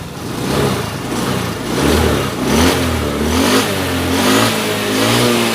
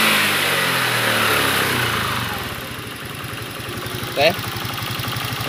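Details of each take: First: Honda Beat FI 110 after turning the idle screw about three turns: uneven blips, revs sag and hunt as the throttle closes and it still stalls when released. The idle screw was not the cause; it was valve clearance. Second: Honda Beat FI 110 single-cylinder after the too-tight valve clearance was reset to about 0.5: settles into a steady, even idle pulse after a short rev and holds without stalling. Stalling fixed.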